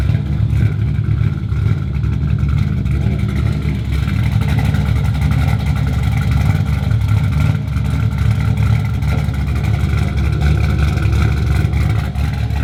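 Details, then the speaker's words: LS1-swapped Honda S2000 V8 with Texas Speed MS3 cam: deep, loud, steady, slightly harsh rumble, even and strong with no knocks or misses; healthy engine. "it's got a Texas speed ms3 cam so it's it's got everything yeah it's got a little harsh man a little bit a little aggressive"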